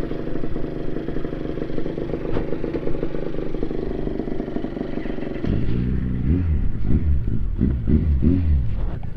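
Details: NSR80 two-stroke after head gasket replacement, main jet 145→140 (slightly rich, kept for safety): crisp ring-ding idle then clean revs up and down, no knocking or rattles; healthy, though mechanical seal still leaks coolant from weep hole.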